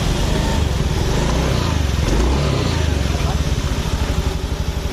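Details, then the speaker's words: 2019 Honda Beat Street scooter with smoking exhaust and oil running low early, idling with a loose clattery top-end rattle over the exhaust pulses; noise analysed before teardown (cam chain, valve clearance or tensioner), finding cam chain rattle. "nah ini berarti masalahnya dari sini teman-teman Nah ya teman-teman Ini untuk penganalisaan suara berisik nah sebelum kita bongkar kita analisa dulu berisinya kira-kira Dari mana Apakah dari sehar apakah dari kelep setelannya terlalu renggang Apakah dari penekan Kenteng"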